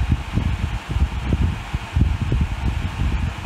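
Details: Dyson Hot and Cool fan heater after PCB repair using donor boards (blown motor controller chip had taken out the microcontroller), heat mode at 37 degree setting, reaching 40-43 degrees; soft air rush, low gusty buffeting, no motor grinding or rattle; normal running.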